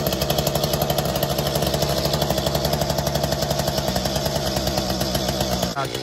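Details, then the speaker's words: Mantis two-stroke tiller after new fuel tank and fuel lines, choke out: busy, rattly buzz about four beats a second, steady and even until shut off; running fine, no gas leak. "all right guys so it looks like it started up sounds like it's running pretty good"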